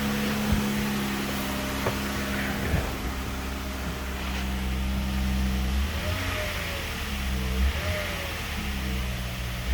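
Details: Chrysler 3.6 Pentastar V6 cold start with the belt removed, hollow uneven knock over the idle attributed to piston slap.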